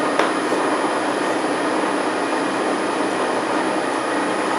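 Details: Transfer box with 1.4 transfer gears on a test bench, about 1945 rpm: steady even hiss and gear whir at constant speed, no knocks or grinding; normal tooth noise, new support bearing working well.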